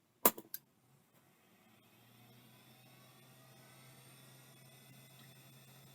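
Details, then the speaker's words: NEC D3661 hard drive on power-up: a few sharp clicks, then a soft low hum that builds and settles as it spins up cleanly with the voice-coil head actuator seeking; normal spin-up. "definitely seems to be voice coil but it seems to work yeah that's 100% voice coil"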